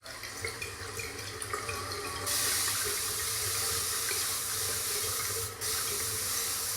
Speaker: you hear that that sounds a leaking toilet today's video I'm going to show you how to fix it if your toilet's making a noise like this it's probably a bad flapper valve